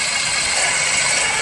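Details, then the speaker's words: Screwdriver held to the alternator as a listening probe with engine running: harsh, gritty rattling hiss, magnified, steady; the power steering pulley sounded less bad; noise confirmed from the alternator, worn alternator bearing. "Yeah. Every time it starts to rattle, you can hear it big time in here. It gets magnified. Okay? And that's how you check for a noise."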